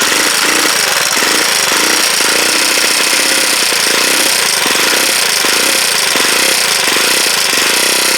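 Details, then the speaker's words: Huoniao HN125 single-cylinder, freshly installed engine, first start: loud, busy idle with a fast, steady metallic chatter on every firing beat. Valve tappet rattle; the owner thought the tappets were done, but they need adjusting. "bit rattly I think then I thought I'd done them tappets but thank you well obviously tappets need doing"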